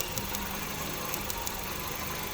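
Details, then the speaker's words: 2009 Hyundai Getz with check engine light and misfire code: idling with sharp irregular snaps and dipping rpm as spark arcs to earth from leaking ignition leads, found with a test light on nearly every lead. "i hope you can see the engine and hear the rpm drop"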